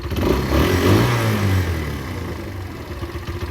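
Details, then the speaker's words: Derbi two-stroke motorcycle that would not run, after a carburettor and fuel tank clean and a new fuel hose; it revs up cleanly and settles back smoothly with no misfire or rattle, running healthy. "i can hear it it's lovely no issues at all"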